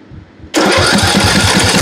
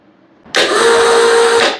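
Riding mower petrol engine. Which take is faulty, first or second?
second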